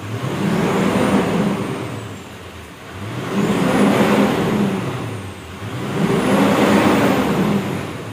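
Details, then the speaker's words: Mitsubishi Strada Triton Exceed VGT diesel, after cleaning a dirty intake and fixing an open or leaking EGR, during purging: three clean throttle blips rising and falling with no stumble; the stuttering near 2000 rpm is gone. "ini lagi proses Lur lagi proses Alhamdulillah tidak brebet lagi ya"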